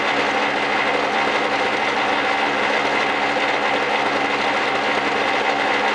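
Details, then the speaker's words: 1999 Snapper SX5200E single-stage snowblower, Tecumseh HSK850 2-cycle 5 hp 139cc engine, after cold start: high, even, steady two-stroke buzz like a boat motor, slight normal smoke, no misses or surging; runs clean and healthy. "see it smokes a little bit that's natural for a two-cycle machine it's a little bit louder that's two-cycle all the way sounds like a boat motor"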